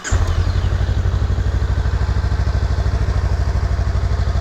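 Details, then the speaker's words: Engine start on a 2021 Honda Rebel 500 after a crash, run for a minute to check for engine damage: catches and settles into a steady, even idle with a clean regular beat, no knocks or rattles; normal idle. "going to go ahead and start up the bike real quick just kind of let it run for a minute listen to it and just see if there are any other issues engine wise"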